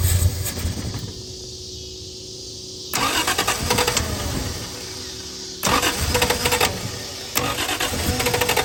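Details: Triumph TR6 being run off an electric fuel pump, choke possibly not working. Repeated cranking bursts catch briefly, then die away between tries. The fuel mixture is suspect. Cranks but won't keep running.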